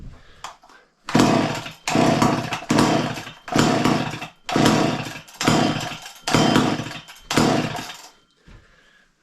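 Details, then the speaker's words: Garage-sale two-stroke chainsaw, fuel poured in, about eight hard pulls under a second apart; each gives brief pops that never catch. Owner unsure, maybe too much fuel. Fires but won't start. "popping all right last try let's load her up maybe it's too much fuel I don't know we're just having fun though"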